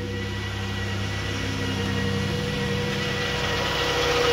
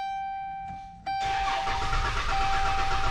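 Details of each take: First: 2011 Dodge Grand Caravan, previously cranked but would not start (key reprogramming possibly needed): steady even idle, smooth low hum, no misses or knocks; now starts and idles normally. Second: 2011 Dodge Grand Caravan: starter cranks the engine with a steady churning rhythm but it never catches or fires; crank no start.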